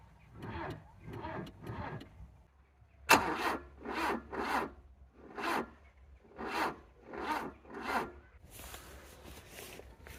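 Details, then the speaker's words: 1985 Volvo 740 with a Weber 32/34 DMTL carb jetted for E85, sat over a year, fitted with a 330-CCA mobility scooter battery. Sluggish, separate groaning crank strokes with pauses; it won't fire. Owner suspects the weak battery. Slow cranking, no start. "I can see that we've got a mobility scooter battery fitted so yeah that's probably not gonna get much done is it"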